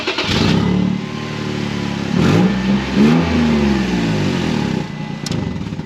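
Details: 2006 Toyota Tacoma engine revving with a loud, raspy exhaust note and uneven puffing; the customer complains of a loud exhaust and clunking on acceleration and deceleration: exhaust leak.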